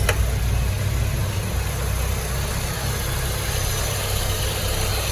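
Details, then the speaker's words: 1995 or 1996 Peugeot 405 STI idling with AC on after AC repairs, AC cycling and cooling well; steady even low rumble, no knocks or misses; healthy idle under AC load. "AC sudah dihidupkan juga, on off nya berjalan, dingin. Mudah-mudahan dinginnya kuat ya. Sudah oke dinginnya."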